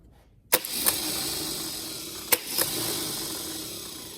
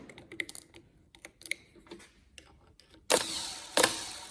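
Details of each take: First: Starter motor from a Holden FC grey motor, bench-tested after being cleaned of debris that had seized it. A sharp clack as the pinion throws out, a steady high whir, then a second clean engagement; the starter works properly. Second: Holden FC grey motor starter, first start attempt in 50 years: starter spins fast with a high whirring buzz in bursts on direct battery feed bypassing the solenoid; solenoid won't click in. Owner suspects the side wire needs an earth.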